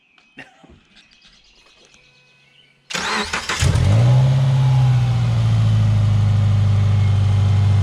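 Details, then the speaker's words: 2008 Subaru Impreza at about 346,000 miles, check engine light on for an O2 sensor: starter cranks briefly, engine catches and flares, then settles to a steady even idle with exhaust rumble and no ticks; still sounding great. "As you can hear, there's no ticks. Still sounding great at 350,000 miles."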